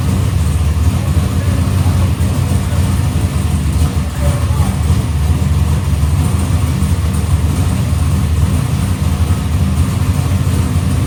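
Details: Box Chevy carburetor after a small idle mixture adjustment: deep, lumpy V8 idle with a steady, even beat and no misses; idle AFR is back where the owner wants it.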